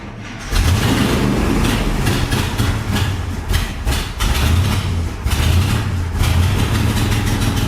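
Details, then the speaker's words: 1972 International 1110 truck after fitting a new Holley needle and seat (old O-ring looked compromised): engine catches, runs rough, surging and sagging, and won't keep running; owner suspects the power valve may also be leaking. "The power valve could also be leaking. Could be why that we couldn't keep it running."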